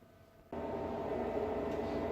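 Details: Bitmain Antminer L3+ miner at first startup: quiet hum, then fans kick in abruptly to a loud steady whoosh with a faint tone; normal fan spin-up, owner plans foam to muffle noise.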